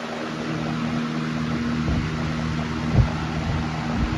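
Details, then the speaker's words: Lasko 1.1 A PSC capacitor motor in a Weather Shield box fan on high at 124 V, 1.16 A, 132 W, power factor 0.92: even low hum and strong steady rush of air, no rattle or wobble; healthy, moving a lot of air. "Moving a lot of air, too. That's a lot of air coming out that fan. 1.16 amps, 132 watts."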